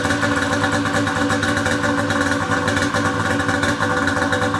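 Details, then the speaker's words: Pro XR 800 two-stroke sled after replacing a torched head gasket that caused coolant burning: crisp, steady idle with even buzzy beat, no stumbles or knocking; no white smoke, sounds healthy. "but that is awesome super pumped this thing sounds good"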